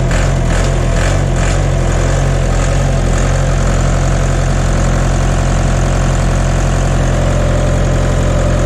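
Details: John Deere 2030 tractor diesel just after refitting overhauled, calibrated Stanadyne/Roosa Master injection pump, cold day, not warmed up: steady even low idle chug, no misses or knocks, burning clean with no blue smoke.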